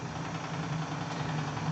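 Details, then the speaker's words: Live-steam RC Clyde Puffer coaster Kilchoan (11 kg), first test after leak sealing, engine at full ahead, burner full, regulator audible: soft, even low chuffing, steady rhythm, no knocks or hiss bursts. Normal running. "entendez son rythme vous entendez le régulateur alors tout cas vous entendez de brûlures à fond"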